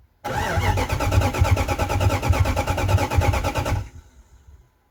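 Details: 1998 Jeep Grand Cherokee 5.9 Limited sitting about five years, given two gallons of fresh gas after no fuel was seen: starter spins the engine at about three beats a second for nearly four seconds and it never catches; crank no start.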